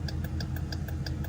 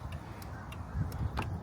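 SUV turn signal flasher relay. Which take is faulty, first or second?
first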